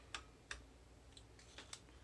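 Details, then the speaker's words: Victoreen CDV-700 6B Geiger counter after replacing the high-voltage switching diode and corotron regulator (previously buzzed and pegged full scale), on a check source: sharp sparse random clicks, about six in two seconds; normal counting. "on this check source and i would expect it to uh be approximately uh 0.15 million per hour so everything's good"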